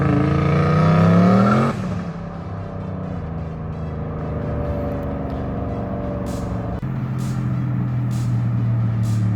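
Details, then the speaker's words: Car (Mustang per uploader handle, V8 per sound) after heads were pulled and rebuilt, driving and running mint: clean rev climbing to a shift, then an even steady pull, no knocks or misfires; heavy clutch; normal running. "Alright, you guys saw it. Car's running mint, having a good time."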